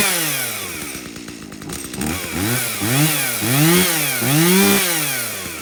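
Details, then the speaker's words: Stihl MS170 chainsaw that doesn't run well, fuel checked clean with no water and bar oil full: revs surge up and down unevenly about once or twice a second, never holding a steady pitch. Rough running, cause not yet confirmed. "something's wrong well there you go this thing runs like a dirty little unmaintained ms170"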